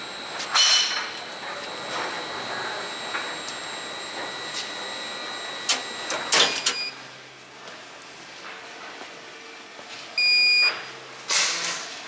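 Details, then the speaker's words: Vulcan fine screen BAR-312 control panel in factory test: steady electrical whine cuts out with a clunk as mains power is killed, then the UPS beeps, showing it is working on battery. "can hear that beeping that's telling us that the UPS is working"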